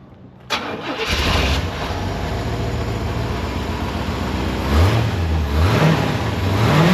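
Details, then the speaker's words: 1984 C4 Corvette V8, factory Crossfire fuel injection replaced with a rebuilt Holley carburetor on an aluminum intake: cranks, catches cleanly into an even V8 idle, then rises smoothly with each throttle blip; healthy start and rev. "That's American muscle right there."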